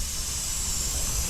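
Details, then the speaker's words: 2023 Sea-Doo GTX 300 Limited with stage 1 tune, slow at 74 mph: engine off, intake pressurised at the supercharger with a homemade tester, steady sharp hiss of escaping air reveals a boost leak. "leak we definitely have a leak so you see what I mean you just never know don't assume stuff"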